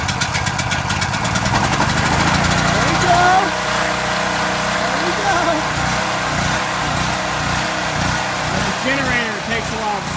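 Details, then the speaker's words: Small Powerhorse generator engine after carburetor replacement, not run in over a year after sitting with fuel, smoking hard: surges up and down unevenly while warming up, revs slow to settle; hunting on warm-up. "while you hear it revving like that takes a while for it stabilize so fire it up off CH going to let it run let it warm up"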